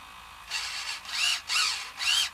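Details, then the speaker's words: Hobby 6-degree-of-freedom robotic arm, first test after building its power distribution board: small servo whirs in repeated straining bursts about twice a second as the joint slides, plastic servo horn splines likely stripped and slipping. "I think we stretch or light strip the servo on the servo arms a little plastic arms that fit on the middle and ridges of the servo and I think I've stripped it with all the messin about"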